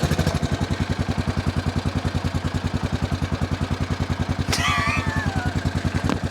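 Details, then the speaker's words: Honda Foreman 450ES 4x4 ATV, newly bought cheap, first start after battery boost and fuse check, no choke: steady even thumping idle, no knocking; engine sounds healthy, normal idle. "That engine sounds good."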